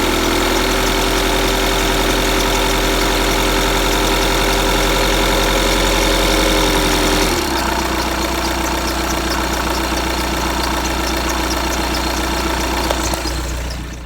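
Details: 2015 VW Tiguan 2.0 TDI 150 BMT, 34,000 miles, cold diesel idle: faint thin squeal that shifts partway through, occurring only in the first minute or two when cold; squeak at cold idle, source unknown.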